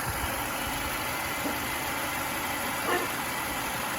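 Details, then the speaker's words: Mercedes-Benz W212 with the M271 engine about a week after an oil change and a StopTech coolant stop-leak additive: a steady, even idle with a smooth hum and no ticking from the hydraulic lifters. Normal idle. "ель, кажется, сейчас работает нормально, тихо и не стучит."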